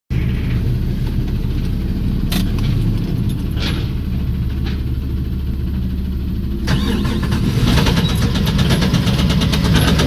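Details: 1994 Chrysler LHS engine at idle: steady low rumble with a faint irregular knock riding on it; knock heard, cause unknown.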